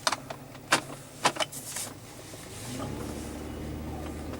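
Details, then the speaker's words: 2007 Pontiac G6 GT driving over small bumps: sharp hollow clunk-clunk from the front end, worn, dry sway bar links with play; replaced with greasable Moog links. "Every time you barely hit a bump, you hear that clunk, clunk, clunk, clunk."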